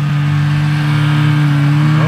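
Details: 1974 Johnson 440 two-stroke snowmobile, long-stored, carb screws refitted with no adjustment yet: steady, even drone with solid low note and no knocks; long-unmoved parts freeing up and running smoothly.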